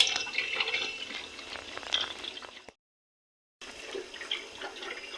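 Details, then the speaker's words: Freezer with a suspected low-side leak, recharged with 160 g by weight, running with no engine noise: steady watery bubbling and trickling from excess oil in the evaporator as it pulls down to about -8 °C. "seguimos bien sigue haciendo burbujeo está el aceite tiene mucho aceite en el evaporador tenemos el PSI a seguir esperando"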